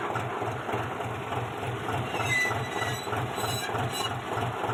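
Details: Old-model John Deere 5103 tractor: even, steady diesel chugging at idle with regular low thumps and no rattle, squeal or grinding from the clutch. Normal clutch operation.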